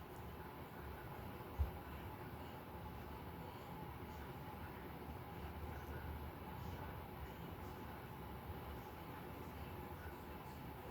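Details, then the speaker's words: Restored 52-inch Craftmade outdoor ceiling fan with new blades: at high speed it gives an even, steady low rush with no knocking, rubbing or wobble, and runs faster and smoothly. "I will get a startup sound because you can actually hear it has a lot more power now. Look at that. And despite how much faster it's going, it still doesn't wobble."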